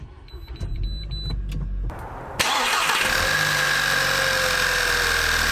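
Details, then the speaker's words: VW Mk6 GTI after replacing worn coil packs with APR ignition coils and old plugs with one-step-colder NGK plugs, misfire codes cleared: faint clicks, short crank, then smooth even idle with the misfire gone. "up see how she doing sounds good she purs like a kitten"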